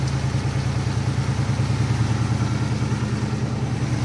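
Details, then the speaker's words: 302 V8 race engine after oil change, starting up: loud, uneven idle with lumpy stumbling beat about three times a second, possible knock, briefly smoothing then worsening; engine judged hurt. "Sounds pretty bad. I don't think it's happy. I don't think it's... That's not a knock, is it?"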